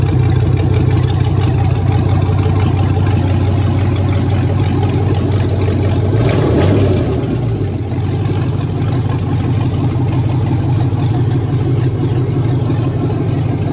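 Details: BMW E46 with an LS V8 swap, start-up: a loud V8 holding a deep, steady rumble with one brief blip midway; no knocks, misses or squeals stand out; normal start and idle.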